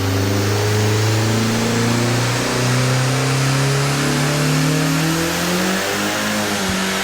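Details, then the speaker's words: Cammed 1.8T 20v VW Mk2 with GTX2867 turbo on E83 ethanol, dyno tuning; rev limit problem fixed by raising ignition dwell times that were too low; now revs cleanly and steadily to 7,000 rpm without breaking up. Normal high-rpm acceleration. "and it is now revving to 7,000, and it sounds like it's revving forever."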